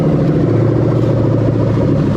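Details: 1998-2000 Lexus LS400 1UZ-FE VVT-i V8 on test with new rebuilt LHD harness, started by touching yellow wire, warning lights off: smooth, even idle with steady low beat, no knocks, ticks or misses; healthy.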